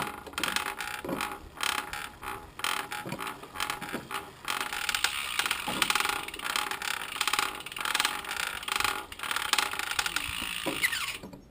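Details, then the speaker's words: Race bike bottom bracket gives a gritty, rasping grind surging with each crank turn, about once a second; bearings completely shot. "so I was unable to finish the race on that bike uh that bottom bracket is completely shot so just an indication that I need to do some work that's what I'm going to do today"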